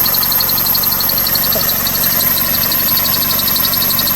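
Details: 2001 Toyota Corolla 1.8 idling with the clutch pedal held down: quick, high-pitched bird-like chirp about three times a second; cause unknown, owner wonders about engine or tensioner.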